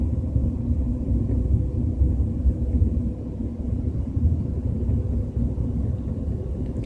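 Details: BMW 320i with a steady low rumbling drone while cruising at 30–40 km/h, no clear knock or whine on top; source not pinned down.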